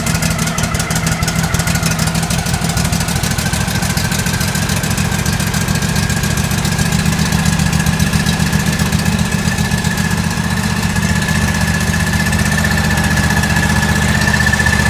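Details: John Deere L130 lawn tractor after replacing a blown 20 A fuse, charging the dead battery and grounding to the engine block: steady, even single-cylinder chug, no misses, knocks or surges; running normally.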